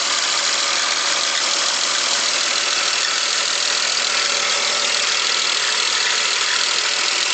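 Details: 2001 BMW X5 engine running: fast light ticking over a hissy background, quickening with revs; cause undiagnosed (owner wonders about valves, lifters, bearings, rod knock or loose spark plugs).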